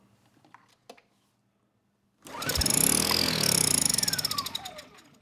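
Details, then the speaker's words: Kipor KGE 1000Ti inverter generator, just over 10 years old, surging and stalling for years despite a replacement carburetor: with choke and fuel valve on, it catches, runs fast and buzzy for about three seconds, then sags and dies. Compression and spark are present; fuel delivery problem suspected. "We know we have compression and spark, but fuel, definitely lacking. You know, I had the choke on, the fuel valve on, and yet it stalled out."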